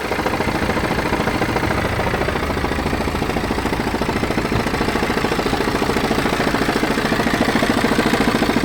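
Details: BMW 320d F30 diesel at idle: a coarse, regular grinding judder, about three pulses a second, also felt through the clutch pedal. It disappears when revved and returns at idle; intermittent, sometimes absent for weeks. Cause unknown.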